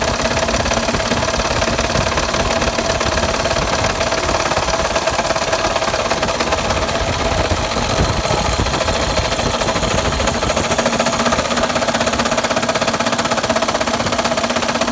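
A heavy, uneven knock about twice a second rides over the running engine; sounds like a deep bottom-end knock, possibly a rod.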